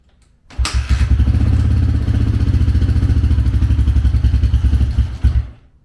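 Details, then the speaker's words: 2004 Honda CRF150F single-cylinder engine after a full rebuild (third reassembly, old piston refitted), started with no choke: crisp, even thump at about four beats a second with no clatter or knocking; runs cleanly. "Try no choke. Open the door here. No racket."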